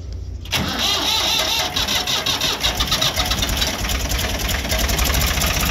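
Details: Tractor started: short crank, then it fires at once and settles into a steady, even run with no misses; a clean, healthy start.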